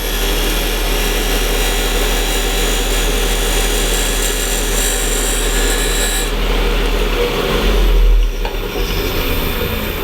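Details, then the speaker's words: Wood lathe cutting end grain on very dense wood. After chatter from taking too much blade, the tool is backed off to barely-pressing light cuts: a steady, even hiss with no stuttering or rattle, a clean chatter-free cut. "It's just nice and easy. I'm just barely pressing on it."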